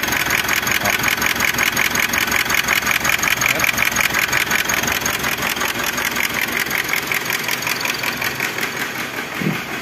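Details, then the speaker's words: 2018 Mitsubishi Triton 2.4 4N15 diesel, out of timing: it only starts with the camshaft phase sensor unplugged, then gives a code P0340. Rough idle with loud regular knocking and a cylinder misfire; owner suspects piston touching valve. "só que com esse barulho muito forte aí ó provavelmente a pistão tá tocando na válvula né [Música] ó e a gente vê que tem uma falh de cilindro aí ó"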